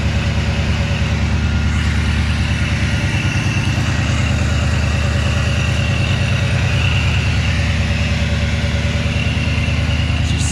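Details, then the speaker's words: Supercharged engine (Paxton supercharger, baseline tune, kept under 3000 rpm) on its first start after install, warming up with cylinder head temp at 124; steady, deep, even idle with no ticking, hunting or misfire; healthy normal warm-up idle. "vicious right now I love it everything seems pretty fine as of right now the cylinder head temp is at 124"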